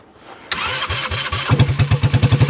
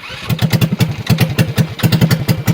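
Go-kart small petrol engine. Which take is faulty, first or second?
second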